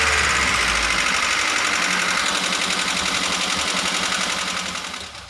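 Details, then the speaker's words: Toyota Daihatsu Gran Max engine after rebuild and refitting, previously rough from excessive valve clearance: even idle with a light steady tick about four per second and no roughness; normal idle. "Oke sekarang kita tes atau kita coba gimana hasilnya agan2 sudah berbeda dari suaranya yang tadinya atau kasar Tapi sekarang sudah kembali standar"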